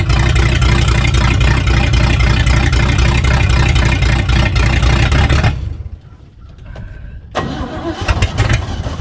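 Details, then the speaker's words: 1965 Chevy C-10 pickup running for the first time after sitting about 25 years: the engine catches and runs steadily for about five seconds with an even beat, then cuts out and is restarted. It starts and runs normally. "okay so we got it running here"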